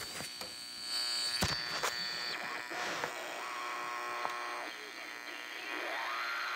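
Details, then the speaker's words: Heathkit GR-81 regenerative shortwave receiver pushed into oscillation for SSB/carrier reception: steady whistling tones over hiss, pitch shifting as it beats against station carriers. Heterodyne carrier whistle from the oscillating regen receiver. "that's the carrier wave and if i want to listen to ssb here i am at some"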